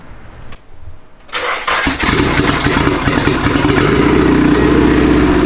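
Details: SR20DET-swapped Nissan S13 coupe on its first start: the starter cranks briefly, then the engine catches cleanly and settles into a steady idle with a crisp exhaust note. A healthy start; the downpipe is not yet fitted.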